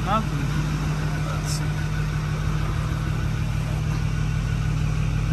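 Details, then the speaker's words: 2010 Ford F350 6.4 Power Stroke diesel (Cabela's edition), after heads and ARP head studs, restarted after a coolant vacuum fill: steady low idle, even rumble, no knock or miss, no check engine light; normal idle. "it fired up low check engine light nothing"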